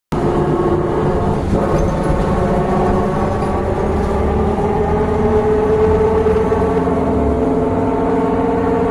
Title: Silver line bus with a Horrible Engine sound the Engine rods stab itself #1287